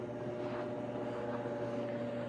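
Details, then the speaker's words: Frigidaire Crown dryer CRGR7900AS0 after repair: steady even drum rumble, constant motor tone, no more clanging; clunking was caused by a small zipper stuck in the drum rim, now removed. "I don't know if you can hear that, but very smooth operation. No more clanging."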